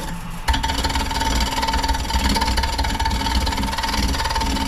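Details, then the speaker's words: Wood lathe turning a bowl with a tool going dull: once the unlevel spot is trued, the ticking stops and leaves an even, unbroken cutting hiss over a low rumble. "And that'll smooth out when it's getting level. And I'll show you another trick I learned. So you can hear it smooth out."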